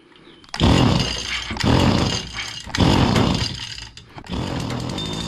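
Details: Stihl FS85 two-stroke hedge trimmer, freshly fueled and primed: short high-revving bursts sag and cut out about once per second.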